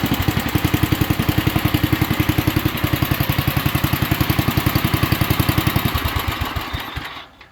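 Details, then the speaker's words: 1967 Unico 7 hp tractor, first run and cut in 27 years after a carb rebuild, smoking a little: rapid, even single-cylinder thumping holds steady under mowing load, with gearbox gears (probably straight-cut) louder than the blades, then winds down and stops. Normal running under load. "I gotta say I am super impressed this thing is super quiet mowing I uh just you can't hear the blades you hear the gears more in the Box than anything and they're probably straight cut"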